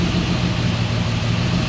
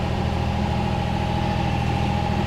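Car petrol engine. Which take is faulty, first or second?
second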